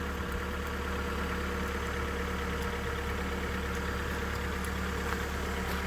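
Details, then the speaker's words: Mitsubishi Lancer X 4B1x-family petrol engine at cold idle: faint light ticking knock over steady low hum, mainly from the left side, caused by excessive play in a worn exhaust cam phaser. "Итак, всё разобрал. Вот она, собственно, и причина стука. Вот этот вот фазовращатель выпускной."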